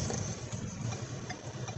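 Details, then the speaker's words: 2011 Ford Fusion road test after front wheel bearing replacement, warm engine, during a turn: steady low engine and road rumble with no growl or hum; previously evident bearing noise is gone. "I can tell you right now I I don't hear the wheel bearing before I could hear it pretty evident"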